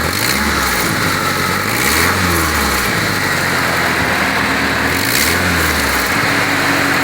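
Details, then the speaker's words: 2006 Mitsubishi Outlander, engine running: sharp loud puffing hiss swelling with revs from the exhaust manifold, escaping mostly between the manifold gasket, before gasket replacement. "Coming from this, it's coming from right at the exhaust system right here. Okay, so most of it coming from between the gasket."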